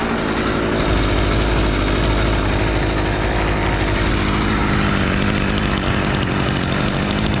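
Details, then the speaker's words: STIHL FS38 two-stroke line trimmer, first start after about two years with fresh fuel: steady, even low buzzing idle with no surging or misfire; normal idle. "it's going to bring the idle screw down until we get to a low enough idle that the tri ahead doesn't spin on idle"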